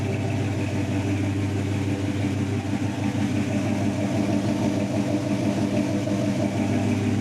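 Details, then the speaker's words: 1979 Chevy K10 square body V8, first start during restoration, warm idle just above 700 rpm with timing at 8 degrees: steady, even, smooth low burble with no misses, knocks or hunting; healthy. "I mean, it's holding just above 700. And it's hard to tell from up there how good it sounds, but it sounds good."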